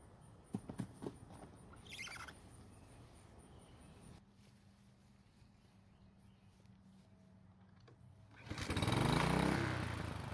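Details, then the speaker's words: Husqvarna walk-behind trimmer after carburetor cleaned and reinstalled: small engine fires and climbs to a smooth steady buzz; runs normally after fix of no-start. "well it seems to be starting and working just fine now"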